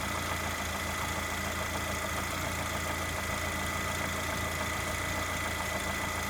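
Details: Lada Granta with 127 engine, hot: warm idle with a light uneven tapping over the steady hum; engine knock when hot, source not yet identified.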